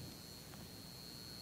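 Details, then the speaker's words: Hampton Bay Clarkston 44-inch hugger ceiling fan light kit with three compact fluorescent candelabra bulbs on a dimmer: thin steady high buzz over quiet room hiss — CFL bulbs buzzing on dimmer. "You can hear the buzz pretty well, so yeah."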